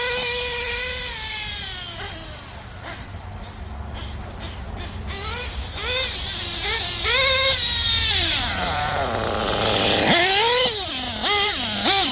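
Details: RC car with a small nitro two-stroke engine, after an LRP exhaust leak fix and while still being tuned: a high, buzzy note revving up and down in quick bursts with clean pickup. The engine runs sound and healthy.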